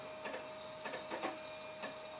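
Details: 20-30-year-old PC with failed CMOS battery, booting from floppy: a few short buzzy chirps as the head steps and reads, about four bursts in two seconds; floppy drive working normally.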